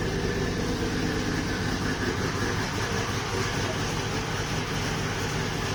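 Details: Volvo 240GLE with LS2 V8 swap, turbo project, full single 3-inch exhaust fitted, wideband disconnected: deep, even V8 rumble through loud exhaust, steady with no misses or knocks; normal idle.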